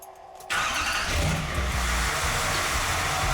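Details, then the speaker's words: Dually truck after splicing a stripped ground cable to get the fuel pump running: short crank, catches at once and settles into a steady, even idle with no stumble; it still randomly shuts off sometimes. "there she goes great sounds that sounds good that's all i really wanted was to get that fuel pump running good"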